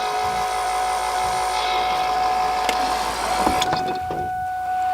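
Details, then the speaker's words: Mustang convertible top hydraulic pump cycling after new top rams were fitted, bleeding air from the lines; steady mid-pitched whine with rattling and a clunk, then cuts off; low fluid suspected, topped up by syringe. "it sounds like it's going a little bit low already"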